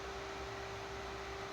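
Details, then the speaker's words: R53 Mini Cooper S during service, engine warm with thermostat open: steady even whir with constant mid-pitched hum, no rattles or scraping, suggesting no cooling airlocks; normal radiator fan operation. "it's a very noisy car but it's good to hear that the uh the fan sticking"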